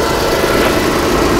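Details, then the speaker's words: 2000 Chrysler Sebring JXi with a no-crank fault, after starter replacement: steady, even engine note with no grind or stumble, fires and settles into smooth idle; normal crank and start, new starter fixed it. "Pete put a starter in this. It did fix it. Let me let you guys hear it. We're gonna crank it over."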